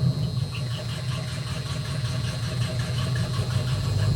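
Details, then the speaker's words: 1972 Mustang 351 Cleveland with Edelbrock 4-barrel intake, headers and 2.5-inch Black Widow exhaust, first start on the ground: steady, deep rumble with an even, lazy lope and no knock or tick; healthy idle, though it is said to need a cam. "Yeah, she needs cam, but it doesn't sound too bad. Has that old-fashioned rub to it, but it doesn't sound too bad."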